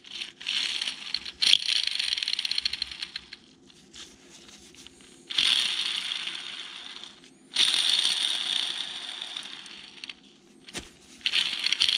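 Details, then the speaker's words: Polaris RZR Turbo front differential teardown: axle hub bearing, removed from the housing and spun by hand, gives repeated dry, gritty rattling bursts, rough and worn out. It was already noisy installed, possibly debris now; the bearing is done, main culprit, to be replaced with an SKF bearing. "definitely does not sound right there might be a little debris in there now but it was already noisy but now you can really hear it out of the housing that bearing is done"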